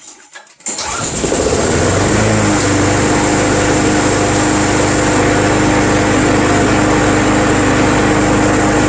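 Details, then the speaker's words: Craftsman Eager 1 self-propelled front-wheel-drive mower, first start of the season on a cool day, as it just fired: catches after a brief pull and settles into a steady even hum with no misses; owner thinks the cold hampers starting. "i don't think these mowers like the cold it's kind of cool today it just fired"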